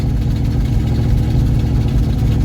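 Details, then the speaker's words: 1974 Ford Bumpside with FE 360 and rebuilt Motorcraft 2-barrel carb, first start since November, cold on choke: low, lumpy, uneven idle with a loping pulse; rough cold running. "Well, I mean, it fired. I don't think sounds like it's running all that great, but let's see. Keeping in mind the choke's still on, so"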